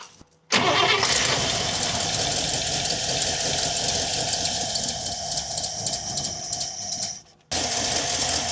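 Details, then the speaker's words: 1961 Buick LeSabre after radiator and fan upgrade, restart after refilling coolant: long steady cranking churn for several seconds before catching; seems to have lost prime, owner suspects fuel pump or old car, not confirmed; extended cranking, hard start. "All right, that definitely took a while. I don't know if it's a a fuel pump issue or what, but could just be an old car thing."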